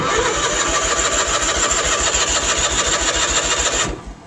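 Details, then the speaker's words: 1986 Ford F8000 (Cat 3208 V8 turbo diesel listed), sat about 8 years, choked on gasoline: even starter churn at about 3.5 turns a second for four seconds, never catches while the fuel filter slowly fills. "there's no fuel in the fuel filter. Oh, it is too, it just filled up. Well, let's give her just a little bit more time."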